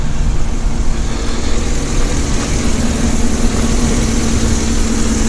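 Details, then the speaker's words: 2010 Chevrolet Tahoe Z71 5.3 V8 idling with a low, uneven rumble that skips and shivers badly, check engine and traction lights blinking; the coils are suspected, and plugs and wires were replaced; engine misfire at idle. "i'm definitely skipping and you got the proverbial [Music] lights on all the traction and check engine light blinking and and all that so let's see what's going on with it yeah it's shivering pretty bad i'm gonna probably say one of these coils"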